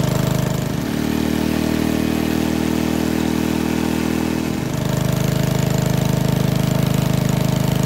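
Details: 1951 Briggs & Stratton 6B-SF 1.75 HP single-cylinder gasoline engine, cold start at about 30°F on choke, after moving governor spring to next hole: brief rev rise then smooth even slower beat, no misses or knocks; owner estimates at least 500 rpm drop.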